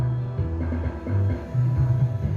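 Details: Old MKC transistor power amplifier after repair (had no speaker output; zeners and parts replaced): clean music at steady volume with deep bass, no hum, crackle or dropouts; working normally.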